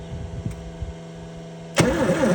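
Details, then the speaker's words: 1981 Ford Courier/Ranger that sat for years, starter hot-wired across the solenoid on a charged 12 V battery: a few clicks, then a steady rhythmic churn; engine turns over freely, not seized. "Oh, it spins. That's good news. Fact that it spins is really good."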